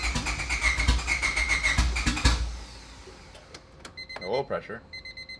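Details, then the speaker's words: Turbo Honda Civic EK with a new Hondata S300 ECU and new fuel injectors. Starter cranks steadily for about two seconds, but the engine never catches: cranks, won't start. Suspected cause is the current tune dumping far too much fuel, so a new base map is needed. "all right so we don't have any luck with the new ECU or thinking it's just an issue with the current tune with the new fuel injectors maybe it's just jumping way too much fuel"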